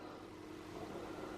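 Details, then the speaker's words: Original Xbox console bought as spares/repairs, scratched Halo disc loading: quiet steady low hum with faint even whir, no clicks or grinding; disc drive spins up normally and console turns out fully working. "I hear it spinning. Oh, hold on. Things are happening."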